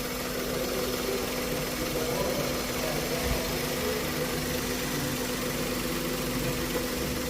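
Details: Small three-cylinder petrol engine that had one dead cylinder idling evenly with a steady hum after repair, with no stumble or dropped beats.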